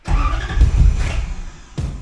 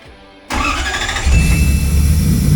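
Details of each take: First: 1UZ V8-swapped 1989 Toyota pickup, Spitronics ECU just wired, engine dead cold in a cold shop: uneven cranking with weak chuffs and stumbles before barely catching; hard cold start, but tach and oil pressure work. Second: 1UZ V8-swapped 1989 Toyota pickup after wiring the Spitronics ECU and a removable starter trigger wire: short even crank, then the V8 catches cleanly and settles into a steady smooth run; starting system working properly.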